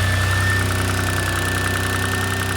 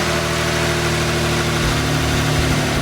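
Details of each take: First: Turbocharged 600+ hp flat-six Subaru Levorg engine at rough idle: steady rapid metallic knock at constant rate, oil pressure unaffected; internal engine noise, source not yet found, engine must come out for teardown. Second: Subaru Levorg, turbo flat-six, 600+ hp, first run after weeks of engine work to cure a noise: steady, somewhat loud idle that swells briefly mid-clip and settles, no knock or clatter; still somewhat noisy but much better.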